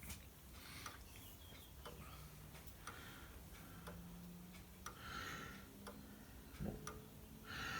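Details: Comtoise clock movement converted to one weight and two identical pendulums 1 cm apart, started by impulses at the inverter: faint, even ticks about once a second, steady and unbroken, running normally.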